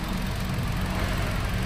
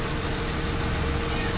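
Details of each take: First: Hyundai Accent petrol engine after fixing misfire (cylinder four not firing) caused by loose wire socket, not the ECU: steady, even low drone idle with no skips or stumbles; firing now even. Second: Hyundai Accent petrol engine idling roughly with an uneven, stumbling beat, with no spark on cylinder four despite a surplus ECU swap; the computer is suspected faulty, alongside a problem wire at the alternator.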